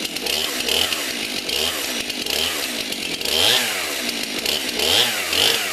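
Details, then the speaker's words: Stihl MS 291 Farm Boss chainsaw, already warmed up, freshly sharpened chain: revs up and drops back in smooth, even surges with no misfire or stumble; chain brake works, runs well. "the brake on it does work but it's a good quality saw"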